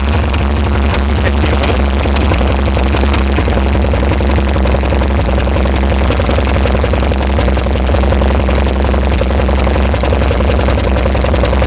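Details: VH Valiant Ranger with a freshly swapped 245 Hemi six, first start with the coil fed directly. Loud, fast ticking sits over a rough idle. Hydraulic lifters are tapping on first start-up, and the carburettor leaks fuel.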